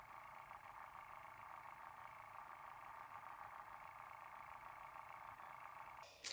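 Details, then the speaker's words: HP Envy x360 laptop fan running with computer on, worn-out fan before replacement; constant airy whirr with steady mid-pitched whine that never lets up; noisy failing cooling fan. "the problem is that the fan inside well it's not inside it anymore i took it out but it's completely gone it's completely gone"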